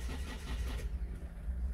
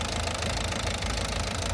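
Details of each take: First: 2007 Citroën C4 1.6 HDi 90 hp (9HX), no DPF, code P2670. The starter churns low and even but the engine never catches; scan data shows zero rpm. A fault is suspected on the sensor supply or harness. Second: 2007 Citroën C4 1.6 HDi 9HX, no DPF, code P2670. Running after a connector block was unplugged. Even diesel clatter at a steady idle, no hunting or stalling; normal idle.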